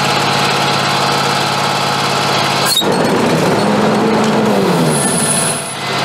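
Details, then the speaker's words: Scag Tiger Cat mower after replacing the deck belt: steady engine drone with only a brief chirp at start-up, no lasting squeal; old belt caused the squealing. "that took care of it. It's just got that little initial squeal when you first start it, and that's it. But it's not squealing like it was, so that was the belt."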